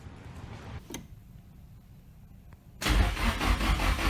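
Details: Nissan S13 240SX with SR20DET swap, start attempt after finding the igniter: quiet, then the starter cranks with a quick uneven churning rhythm but the engine never catches; cranks, no start.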